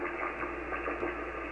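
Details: 80 m ham receiver: steady hiss with a wavering warble that changes with finger pressure on a laptop touchpad; the touchpad was damaged by WSPR transmitting beside the computer; touchpad RF interference.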